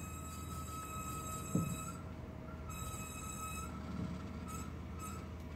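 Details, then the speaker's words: Thin high squeal comes and goes in short stretches over low rumble while the car creeps and turns at night; owner thinks it's the brakes but hasn't confirmed. Squeal when turning. "When I turn and when I think it's the brakes, so I can't. I'm trying to figure it out, man."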